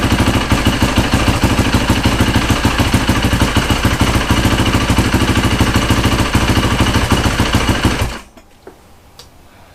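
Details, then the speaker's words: Rebuilt Yamaha YZ450 single-cylinder after replacing a stretched timing chain to cure a ticking noise, first start with oil smoking on the exhaust header: steady even idle thump with no ticking or rattle, quieter than before; normal idle. "it's smoking but it does sound quieter I really think it does"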